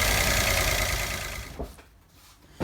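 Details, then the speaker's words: Peugeot 107 / Citroen C1 / Toyota Aygo 1.0-litre three-cylinder, after replacing a faulty ignition coil that caused a misfire, rough running and loss of power: a brief, even idle with no stumble or shake; the engine runs normally again. "they do go in nice and easy so much better back to normal again"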